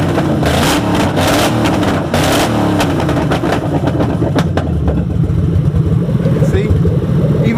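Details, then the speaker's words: Ford Crown Victoria running an ECU map not matched to the ECU: lumpy, shaky idle running rich, wanting to stall unless revved, and revs come up flat and lazy; rough running from mismatched map. "listen to it has a little shake to it because it's not the right map and right now it's dumping more fuel in there it ain't sparking and it'll shut off so if I don't rev it will turn off"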